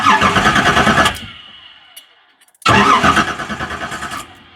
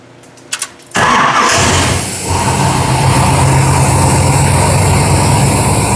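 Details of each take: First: 1973 Camaro with aftermarket Fitech throttle body injection, sat nearly two years, main power feed accidentally connected to ground. Starter cranks at an even beat twice without catching; test light shows no power at the fuel pump, no prime. Crank no-start. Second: 1970s Camaro with an upgraded engine, FiTech throttle-body fuel injection and no catalytic converters, after fixing a fuel pump circuit that caused a no-start: short crank, fires at once, steady, even idle with no misses.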